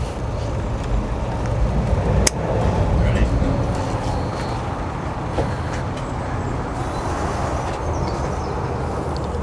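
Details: Saab with GM Garrett GT1752 turbo, first start after turbo replacement, having been cranked until the oil light went out: steady, even low rumble with no whistle, rattle or misfire; running normally while old oil smokes off the turbo.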